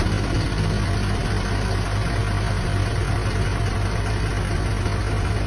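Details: 2022 Isuzu QL diesel with a steady, even idle, A/C on, and no knocking, grinding or squeal, after replacing a noisy, knocking A/C compressor that had run low on oil, plus a new filter dryer and vacuumed lines.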